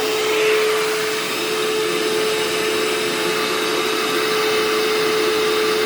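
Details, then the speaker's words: Hoover Turbopower 2 vacuum after motor service with both bearings oiled and reassembled: steady high motor whine, even airflow rush, no rattles or bearing growl; runs perfectly. "Nothing wrong with that at all now. That's absolutely perfect."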